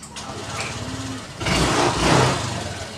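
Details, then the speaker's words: Honda Click 125 v2 scooter after replacing burnt fuel pump, battery voltage now 13.5: catches on one push at about 1.5 seconds and settles into an even, steady idle; no-start fixed. "So ngayon okay na yung voltage niya. Ayan 13.5 RPM. So umaandar to."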